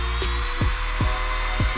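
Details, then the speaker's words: Mini grinder after on/off switch replacement: thin, high steady motor whine spinning smoothly with no rattle or grinding; running normally again. "Oke jadi seperti ini Lur Oke sudah nyala dan normal"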